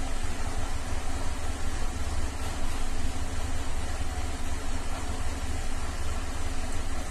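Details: 2007 Cadillac STS 3.6 at idle with codes P0300/302/304/306 and P0017/P0019 exhaust cam correlation: deep rumble with an uneven pulse, rough and misfiring on the whole of bank 2. Cam control test reports oil pressure out of range; cause suspected as cam timing or plugged exhaust.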